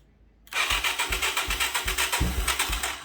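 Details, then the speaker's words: 1985 Yamaha YTM225DR Tri-Moto revived after 30 years, carb float sticking, spark and compression confirmed: fast even cranking with a few louder catches; engine close to firing but not yet running. "She wants to go. It sounds like."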